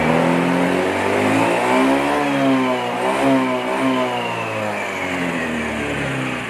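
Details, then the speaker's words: Honda Beat FI scooter after sealing a leaking fuel pump check valve with glue to cure hesitation on initial throttle: revs climb cleanly from low to high and back, no stumble or bogging, even on snap throttle; smooth acceleration. "jadi dari bawah sampai ke atas itu aman ya nggak ada ngempos nggak ada brebet kayak grafik mah enak guys naiknya naiknya enak rata gitu ya"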